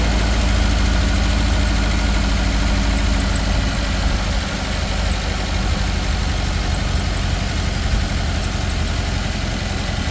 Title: 2013 subaru outback 2.5 misfire cylinder 3